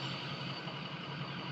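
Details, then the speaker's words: Truck idling after 3½ months of chasing a misfire and major hesitation, now fixed: low, even idle rumble with a steady beat and no stumbles or catches. "It's still smooth. It didn't have to catch itself. That is awesome."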